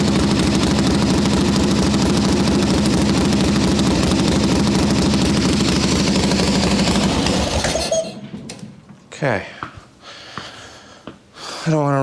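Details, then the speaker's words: 1981 Harley-Davidson XLH Ironhead Sportster chopper, first start on a freshly built motor: steady, even V-twin lope at idle for about eight seconds, no knock, then shut off. Sounds happy; oil return to the tank a little slow, to be checked. "don't want to run it too long because that's the first start on a brand new motor, but she's running. Sounds happy."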